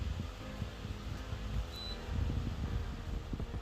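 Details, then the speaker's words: Kogan Premium DC motor pedestal fan, new, speed reduced from highest (12, slightly noisy) to 1–3: soft low air whoosh, faint motor, no rattle; quiet normal running at low speed. "yeah and you can you guys can hear the noise levels dropping down slowly up to one two three it's not making any noise"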